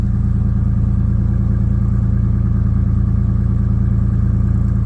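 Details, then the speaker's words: Toyota 1JZ engine in Nissan Silvia S15, knocking about 2000 km after a poor rebuild; warming up at idle before oil change, steady deep idle with regular tapping about 140 a minute over exhaust drone, a bottom-end knock. "I know I shouldn't be running it with an engine knock I'm just going to change the oil so I need to warm it up anyway"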